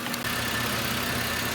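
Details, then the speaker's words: 2010 Chevrolet Impala 3.5 L with P0171 and P0496, after a smoke test found no leaks and the purge solenoid was replaced: smooth, even idle with no hiss or hunting, fuel trims near zero. "Engine is running pretty smooth."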